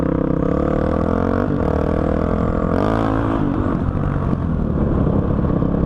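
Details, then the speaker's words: 2005 Honda CRF450X single-cylinder that sat 10 years, ridden after richening the needle one notch (two from bottom) and raising the main jet to 190 with a 45 pilot: revs crisply and pulls cleanly with no bogging as the throttle opens; running great. "so as you can see this thing is an absolute beast and it is running great"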